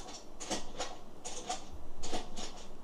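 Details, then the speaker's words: 2013 Toyota Aygo with MMT automated gearbox that randomly drops into neutral, new clutch already fitted, during clutch and gear selector relearn with a diagnostic tool after ignition cycle: short whirring clicks in bursts, about six in three seconds, as the actuator steps through positions. "can hear that selector now going through its whole weirdness, doing all its movements again."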